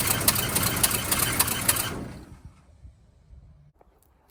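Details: 1971 Cadillac Coupe DeVille that sat 15 years in a backyard, now idling on its own without added fuel: rapid, fairly regular ticking and clattering, about three or four knocks a second, over a rough idle; source unknown.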